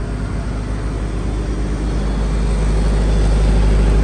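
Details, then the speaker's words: Reconditioned 35 kVA Kirloskar generator, HA494 four-cylinder air-cooled diesel, 45 BHP at 1500 rpm, running under 100 A load; steady even drone, no misses, knocks or rattles, no smoke, zero vibration. "आप देख सकते engine की performance बिल्कुल एक आवाज में इजन चल रहा है दोस्तो देख के लग र चल भी रहा है जीरो वाइब्रेशन होती है"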